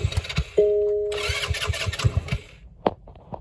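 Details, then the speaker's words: Hammerhead GTS 150 GY6 scooter engine just big-bored: starter whirs and engine turns over in quick uneven puffs but never catches, because the spark plug is not connected. "take a second i think it'd probably help if i had the spark plug"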